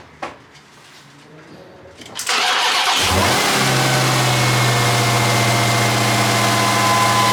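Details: Supercharged Chrysler 300 Redeye build, started just after replacing the cut supercharger belt and accessory belt; quick crank, catches at once, strong even idle with steady supercharger whine, no squeal or slap; normal start and idle after repair.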